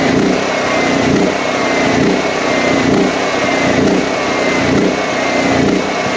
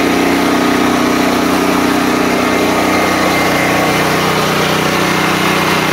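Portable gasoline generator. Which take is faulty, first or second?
first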